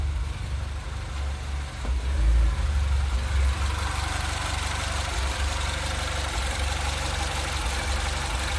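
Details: 2008 Mini Cooper S (N14) at idle: speed rises and sags over a few seconds with a lumpy, uneven beat underneath; a surging rough idle, cause unknown.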